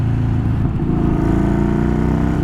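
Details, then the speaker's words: Yamaha Bolt V-twin just after a ForceWinder intake install; a wire was knocked during the install and ABS is acting up: deep, even V-twin pulse rising smoothly with speed, air rush audible, no knocks or misses; normal running. "I've obviously knocked a wire while I was threading a hose through, but that sounds like the bike's running as it should."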